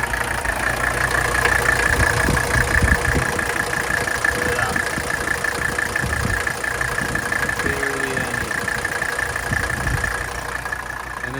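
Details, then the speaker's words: 1984 Mercedes 300D diesel, engine cold, just started, with replaced glow plugs; the owner notes practically no blow-by and that it always starts great; a steady, even diesel clatter at a settled idle with no misses or knocks; normal healthy idle. "The engine is cold. I'm going to start it up right now. This car has pretty much no blow-by. All right. Starts great. Always has."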